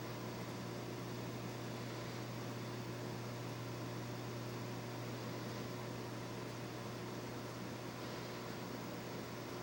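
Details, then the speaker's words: Vintage Hankscraft Vapriser electrode humidifier with two pinches of salt added to the water; current starts low, spikes (over 10 A), then settles near 3.5 A as it warms; steady electrical hum with rising fizz as it heats toward steam, normal. "you can see it starts off real low but it's going up and it does Spike and stay spiked until it starts warming up and then it goes back down to about three and a half amps you can hear it starting to make noise"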